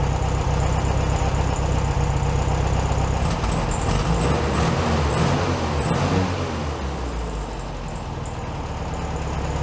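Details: 1967 VW Beetle 1500cc, warm, carburetor reinstalled with a new base gasket: a steady, even low putter at about four beats a second, no misses or hunting, sitting slightly high. Normal idle.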